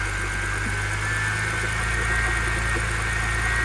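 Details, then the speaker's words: BMW E90 at idle on its first start after an engine swap, with a slight misfire noted at startup: faint, uneven whirring tick about four per second over the idle, likely from the belt-driven accessories; a bad idler pulley is suspected, not confirmed. "okay it sound like it's like a b idol pulley or something there you go she's alive"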